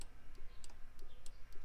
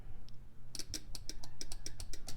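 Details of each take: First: 1965 Nova wagon delivery fan relay, power in on blue wire but nothing out: faint light ticks about every third of a second, nothing switching; relay rated 40 A likely burnt out from running two fans. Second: Bench test of a relay from a 1965 Nova Wagon Delivery that overheated: with one coil pin grounded and the other given voltage, there is a crisp click on each energizing, six to eight in quick succession. The relay switches properly.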